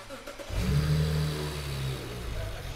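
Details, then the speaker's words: BMW 335i N54 with fuse 40 (fuel pump) pulled: engine cranks to relieve fuel pressure before injector replacement; brief low rumble of turning over and catching, fading within about two seconds, fuel-starved. "once the fuse is pulled out we're just going to crank the car to relieve some pressure at the fuel go ahead and crank it"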